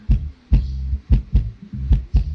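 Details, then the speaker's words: Polk Audio PSW125 active subwoofer after repair of a no-power fault, tested with a speaker connected: deep, tight bass thumps about twice a second, firm and clean with no rattle or distortion; the amplifier works normally. "คือถ้าเข้าตู้เข้ากับตู้ของตัวโค้กตัวนี้น่าจะดังดีครับผมเสียงดีเลยแหละนี่นะ"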